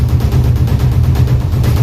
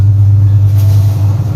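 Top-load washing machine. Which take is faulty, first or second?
first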